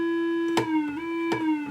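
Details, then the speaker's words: Rare Minitmoog synthesizer as received, before repair, at low volume. A single steady, slightly wavering tone with overtones and clicks: the filter is self-oscillating, the envelope generator is audible, and there is no oscillator output. Filter self-oscillation, no oscillator output. "And what you're actually you're hearing the filter. I can go here and so the filter is self-oscillating."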